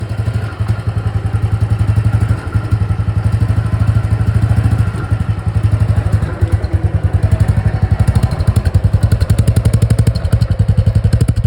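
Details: Royal Enfield Thunderbird: deep, even low thump about four beats a second with no stray noises; healthy single-cylinder at idle, normal thump.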